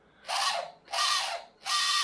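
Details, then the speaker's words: Small brushed motor in a Zappies RNLI Severn class radio-controlled lifeboat, after lubrication: three short bursts of high, scratchy whirring, each spinning up and dying away unevenly; rattling less, brushes suspected, not confirmed. "I don't know whether that sounds weaker or it's just better lubrication it's not rattling around so much"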